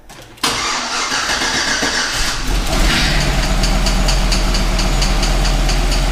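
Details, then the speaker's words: GMC Yukon V8 first start after a DoD delete with cam swap, run briefly with no antifreeze and not yet tuned: cranks and catches cleanly into a steady even idle; a light tick fades early; normal start and idle. "can stop tapping now counters back there tapping sounds good she sounds very good"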